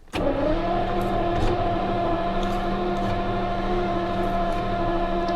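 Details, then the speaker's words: 1977 Jaguar XJ12 after breaking down with a loud boom, sat overnight, battery recharged, fuel primed: starter whirs steadily several seconds, catches once but won't run; crank no-start, spark and distributor to be checked. "hear that it's for caught once oh yeah it doesn't want to"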